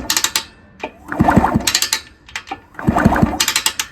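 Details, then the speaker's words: 1974 Indian SE74 dirt bike, Minarelli P4-70 engine, after sitting about 30 years, kicked over with oil in it before a compression test: a gritty crunching and clicking with each kick, about every 1.5 seconds. Cause not confirmed. "Oh yeah, she's coming around now. But you can hear that, can't you?"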